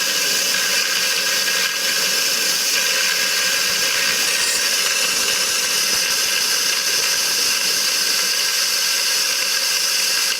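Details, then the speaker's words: TVR 3000M with Ford Essex V6, new water pump, radiator, swirl pot and hoses, vacuum-filling the cooling system: steady loud hiss as trapped air bubbles are sucked out of the block and coolant passages. "if you can't get it done in one go then do it again but now you're going to get some cooling liquids coming out of second vacuum but you can hear the air bubbles in the engine now being sucked out"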